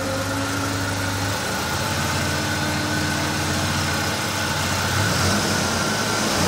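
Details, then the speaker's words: Opel Manta B 2.0E CIH engine after the breaker contact points, which had been set wrong, were corrected and the distributor cap and rotor refitted: smooth, even idle with a low rumble, no misses or tapping, after the cold start; normal idle. "यह कितना सुपर चल रहा है, cold start चरण के बाद शीर्ष इंजन चल रहा"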